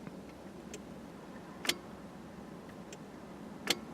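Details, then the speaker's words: Car with a dead battery that won't start despite a reading of about 12-13 V: sharp single clicks about every two seconds with no cranking; the battery is completely dead, with a power antenna possibly drawing current. "Completely dead. It's saying it's got a charge. I can hear it clicking."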